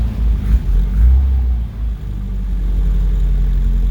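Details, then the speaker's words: 1973 Opel GT, 1.9L carbureted engine, cold start after sitting weeks to a month, gas pedal pumped first: fires right up into a steady, deep, rumbling idle that sits a little fast; high idle because the choke needs adjusting. "Yeah. So, the choke needs to be adjusted. The RPM's a little high, but you know, started right up."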